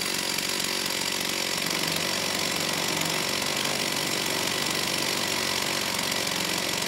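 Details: STIHL 028 AV Super chainsaw, amateur non-OEM rebuild after straight-gas burnup; held at high idle, choke off, harsh uneven buzz never settles, poor response coming off idle, slightly lean at high speed; unstable idle from crankcase air leak.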